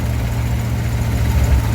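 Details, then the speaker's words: 1955 DeSoto, supercharged 392 HEMI V8 idling after tuning: deep steady burble with only faint speed rise and fall, the nicest it has sounded in a long time; vacuum 14–15. "So that's the nicest it sounded in a long time, I think."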